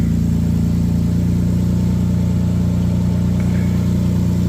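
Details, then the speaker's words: Mitsubishi Eclipse 3.0 V6 (6G72), first start after timing belt, water pump and tensioner replacement, idling while warming to burp air from the coolant: steady, even idle with no misses or knocks. An initial stumble is suspected to be air in the fuel line from sitting. Normal idle. "okay it's probably it was an air pocket in the fuel line because it's been sitting for a while"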